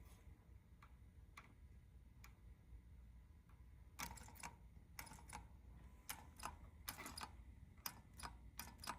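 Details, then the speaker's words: Suzuki Verona EGR valve solenoid (measured about 8.5 ohms, in the 8–10 ohm spec) gives sharp dry clicks, single and in quick clusters, each time its driver wire is grounded; the EGR solenoid is switching properly. "What we are going to do would be to test the solenoid, and we actually are going to see if it clicks by grounding the solenoid, the driver wire, from the driver to the ground. You should be able to hear it click."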